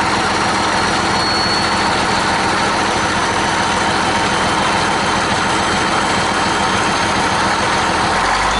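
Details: 1959 Caterpillar diesel generator set, warmed up, running at operating speed ahead of load testing: deep, constant diesel clatter holding one steady speed, even and unbroken; engine running healthy.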